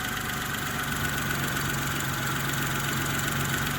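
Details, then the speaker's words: 2012 Daewoo Matiz three-cylinder petrol at idle: steady, even beat with no stumbles or dropouts; not misfiring, running cleanly on all cylinders. "Ану послухайте не троїть та Як може трьохциліндровий мотор троїти так"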